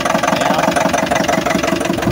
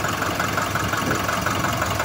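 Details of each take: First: Nissan NV350 van engine idling with a steady, heavy knock about three times a second; after earlier injector and intake manifold cleaning, teardown found a holed, damaged piston. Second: Nissan NV350 diesel after repair of knocking, previously injector and intake manifold cleaning, white-ish smoke noted: steady even diesel clatter at idle, no odd knock; normal idle.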